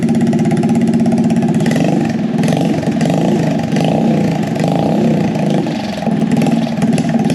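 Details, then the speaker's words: Scratch-built full-suspension mini bike single-cylinder, first start after sitting about 7 months, carburetor leaking fuel with float issues: quick, even, mellow putter with small throttle blips, not overly loud; normal idle. "so that's fine it runs it sounds good it's not too loud"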